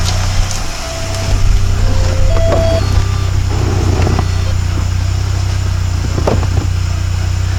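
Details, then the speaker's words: 1993 VW Cabriolet petrol engine at idle after new clutch, transmission refit, clutch cable free-play adjustment and exhaust leak repair: steady, even low thrum with no knocks or gear rattle, clutch in and out; normal idle. "Clutch in, clutch out. Much better, plus the exhaust leak's fixed."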